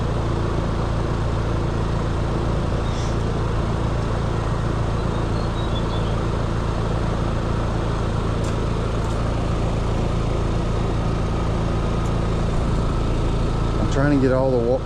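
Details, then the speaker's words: Trane/American Standard condenser on a neighbor's AC, compressor restarted after recharging refrigerant: loud steady droning hum with rough, uneven pulse; tech thinks a full accumulator is flooding liquid to the compressor, possibly contactor chattering in and out. "I think we are flooding to the compressor and that's what the problem is. That accumulator is full of liquid."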